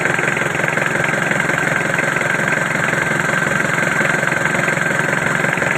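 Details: Freshly rebuilt Mitsubishi L200 diesel engine started right after the overhaul, idling smooth and even with a steady clatter rhythm and no knocks or misses; a healthy rebuild.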